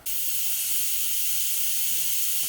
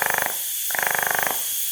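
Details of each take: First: Wastegate bench demo on a 3-port MAC valve setup, compressor air fed to the wastegate: steady high hiss of air flowing that never settles, leaking a little through the diaphragm, which typically shouldn't leak. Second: 3-port MAC boost control solenoid on a wastegate bench demo, duty cycle ramped from 0% to 100% with throttle: two bursts of rapid, even buzzing clicks, about twenty a second, as the solenoid pulses.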